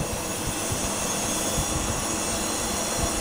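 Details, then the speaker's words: Homemade refrigerant recovery unit recovering refrigerant: a steady, even hum and rush with soft low thumps and no knock or rattle as the compressor runs normally, one pressure rising and the other falling. "Lo pongo así para que vea si se escucha el ruido. El compresor. La presión está subiendo."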